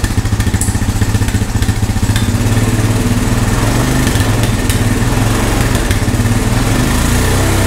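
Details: Honda ATV found at a yard sale, revived with no parts after checking spark and compression and adding fuel: loud, even single-cylinder thump at steady fast idle, no misses, knocks or rattles; healthy, smooth-running engine.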